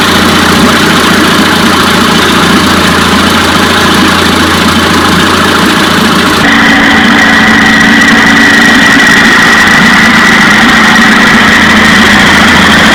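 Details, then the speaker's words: 1956 Johnson 15 HP two-stroke outboard in test tank after replacing points on the misfiring top cylinder: even, steady buzz at constant speed, no stumbles, both cylinders firing cleanly. "all right so together joshua and i changed the points on the top cylinder that was misfiring and that puppy runs good"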